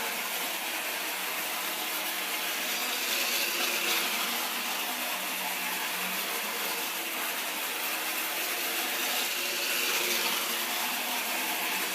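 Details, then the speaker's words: Restored American Flyer standard gauge tinplate electric locomotive on test run after reassembly: steady high whirring motor with light rhythmic wheel clatter, smooth and even; runs perfect. "And it runs perfect."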